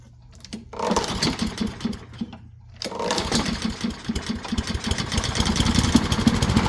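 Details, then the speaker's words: Honda walk-behind mower, one of two project mowers, with black unmaintained oil, primed with a squirt of fuel: it catches, then runs rough and uneven with a hunting beat, sounding fuel-starved. "righty uhhuh sounds like she's staring for fuel"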